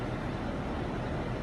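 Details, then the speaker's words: 2008 Ford Focus manual with a faulty ignition switch, after a push-start momentary switch was installed to bypass the key's start function: starts and idles smoothly with an even low rumble, no knocks, misses or squeals. "and there you go car starts it runs just like normal"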